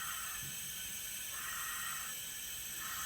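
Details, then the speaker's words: Leak-down test on a 265 ci small-block Chevy from a 1956 Chevy. A steady hiss of compressed air comes out the breather tube: air is going past the rings into the block, meaning bad rings. "you can hear that air coming out you put your ear right up here you can actually feel air coming out of here that is the compressed air in the cylinder going past the rings filling up the block coming out the the breather tube"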